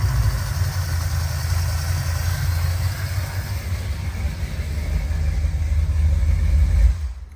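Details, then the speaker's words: Low, lumpy, uneven idle with an irregular stumble; only two of four injectors fire until the gas is pressed, with the progressive linkage setting not enabled; idle on only two of four injectors. "So what I'm gonna do, I'm gonna go ahead and start it up, and I'm gonna show y'all that neither, you know, that only 2 injectors work, you know, until you start pressing the gas."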